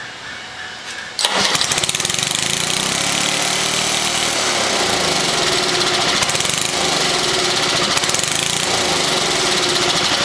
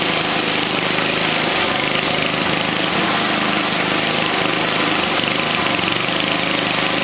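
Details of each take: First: 1979 Toro 524 snow thrower small engine, restart: catches on the pull and runs flat out at steady high speed, never settling to idle; owner thinks the throttle was reset too high when disassembled. Engine racing from throttle stuck open. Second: 1979 Toro 524 snow thrower single-cylinder engine after repair and clearing twine left by mice: fast, even run with a steady rough buzz, no misses or surging. Normal running.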